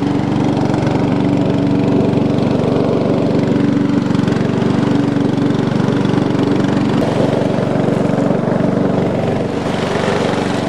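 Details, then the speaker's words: Roughly 20-year-old lawn tractor running after sitting 9–10 years, blades engaged: a steady, even single-cylinder drone holding speed with no misses or surging. Normal running under load. "oh yeah she's a worker she's working success see you make the deck work now oh it's working we're ready to"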